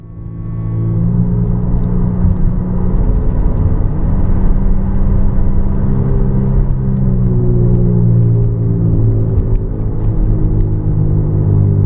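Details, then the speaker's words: 2000 Volvo S70 driving: loud low droning growl, pitch drifting with road speed, from a faulty front driver's side wheel bearing. "this is a faulty front driver's side wheel bearing on this 2000 Volvo s70"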